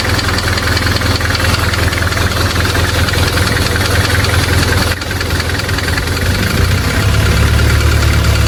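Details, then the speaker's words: Nissan Terrano idling, deep steady idle with uneven light valve-train ticking about 100 a minute; valves opened and clearances adjusted three times (tight, loose, semi) but the ticking persists, being prepped for a 1000 km trip. "Okay, so guys, so kung nakikita nyo, pangatlong beses na namin binuksan ni Sir Chuk itong mga barbola ni Terano. Ang kaso talagang hindi mawala-wala yung ingay na yan."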